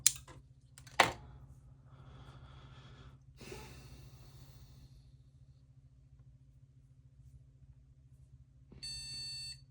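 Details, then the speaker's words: Shuttle HOT-433 motherboard being restored, newly installed cache chips, quiet room: a few clicks, then one short beep only after about eight seconds; slow POST, owner suspects turbo switch jumper needs clearing, beep sounds slightly off. "sure takes this thing a long time to give me that initial beep and it sure is slow I wonder if there's something going on with this turbo Switch jumper I need to clear it beep sounds a little bit off too"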